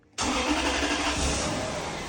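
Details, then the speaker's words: 1995 Toyota Celsior (LS400) 1UZ-FE V8 after tune-up with new spark plugs, ignition wires, coils and air filter: catches instantly after the briefest crank and settles into a smooth, even idle with no misfire; normal start. "Oh yeah. Start it right up. That's what you want. You want to get it started right up."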